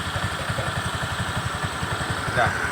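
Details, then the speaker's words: Scooter engine that had water in its oil (milky, overflowing oil, radiator coolant running low) idling with an even low putter of about seven beats a second, no knocks or stumbles; smooth normal idle. "ini anda bisa mendengarkan suaranya masih halus semua masih wajarlah itu yakin ini wajar-wajar"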